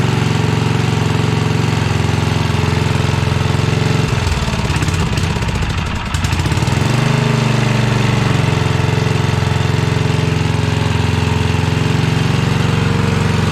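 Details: 1982 Snapper Comet riding mower, 8HP Tecumseh single-cylinder: fast steady beat that stumbles and dips a couple of seconds then recovers; only wants to run at full throttle, fuelling needs adjusting.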